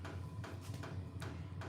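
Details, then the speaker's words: Portable diesel air heater in a garage: soft evenly spaced thumps about every 0.4 s under a low hum; owner points out the fuel pump thumping; runs on diesel, normal operation. "listen hear that that thumping noise is the fuel pump okay"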